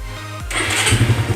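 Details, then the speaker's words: Suzuki Satria FU 150 after charging a weak battery (previously below 12 V) and fixing flooding: brief starter whirr, then catches on first press into quick even firing; starts normally. "Oke, langsung kita starter. Satu kali hidup guys ya, mudah sekali ya."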